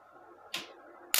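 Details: Mosquito racket after repair (plug was the fault, charger and UV light working): two sharp crackling snaps about half a second apart from the grid; racket discharging properly.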